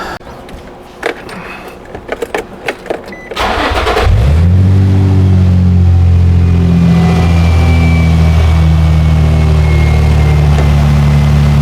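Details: 2004 Infiniti G35x with used ECM fitted for P1122/P1126 throttle faults, keys reprogrammed: starter spins a few seconds, engine catches around four seconds and settles into a steady, even idle with no stumble; normal start and idle.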